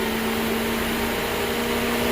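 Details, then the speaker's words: 2007 Mercedes electric cooling fan commanded on for max cooling while diagnosed for sticking on high: steady even whir and air rush with no wobble or rubbing; normal fan operation at this moment, though the motor acts up and will be replaced. "that's what things look like when everything is normal but that fan motor is acting up it's going to get replaced"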